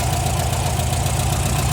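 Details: Warm air-cooled VW Type 4 engine after valve guide replacement, steady even idle with a smooth low thrum and no valve clatter; running fine.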